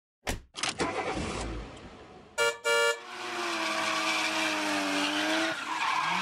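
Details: Forge blower fan gives sharp, high screeching chirps, then a whirring that slowly drops in pitch; the unit was likely dropped and a bent flange rubbed, fixed by peening it down.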